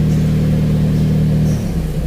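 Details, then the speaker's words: Daihatsu Charade with added AC delay module, idling around 800 rpm: steady hum, then AC switched on raises rpm before the compressor clutch engages, slight drop and roughening as it loads; normal idle-up. "jadi begitu kita nyalakan AC itu rpm nya naik dulu nanti setelah naik rpm nya baru magnetnya aktif untuk menggerakkan kompresor"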